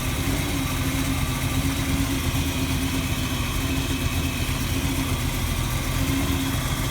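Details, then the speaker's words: 1948 Mercury coupe V8 with mild cam, idling cold, oil pressure a little over 60, under-hood microphone; deep slightly lumpy even rumble, a little black smoke, running slightly rich; healthy. "get under the hood here just have a little bit of a cam to it you can hear it's just kind of the right amount of rumble"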